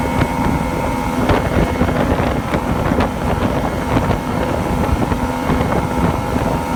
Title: Misfire/surge on Yamaha 2 Stoke